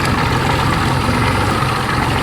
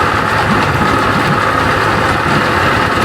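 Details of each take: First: 1992 Johnson 60 hp outboard after restoration, throttled down on the water: steady, even, clean throaty idle with no spitting, sputtering or popping, settling at the correct idle speed; normal idle. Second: 1992 Johnson 60 hp outboard idling after a quick prime, with a mostly steady beat and an occasional missed stroke. Intermittent misfire at idle, cause not yet found.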